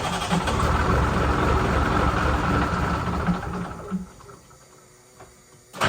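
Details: Ford L9000 diesel truck with new gear-reduction starter and battery cables, two batteries low: fires promptly and runs with a steady, even rumble, no leaks; normal start and idle.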